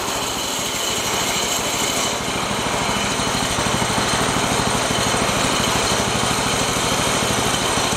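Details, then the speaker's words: Shop mini bike small single-cylinder engine after fixing a loose throttle bolt and refitting airbox, throttled down: quick, steady putt-putt at low even idle, no hunting or surging; normal idle. "should be throttled down a little bit I would think it may even be down too much actually that sounds better that's a lot more like where it"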